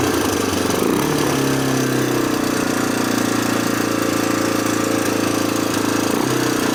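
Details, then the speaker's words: 1987 Honda TRX250 Fourtrax ATV, long-stored, first start after fuel work, no air filter fitted: small single settles into a very high idle with tinny metallic top-end rattle; owner suspects vacuum leak or carburetor idle set too high, unconfirmed. "It's very metallic sounding. I'm not gonna lie. Not sure if that's how they normally sound, but it's."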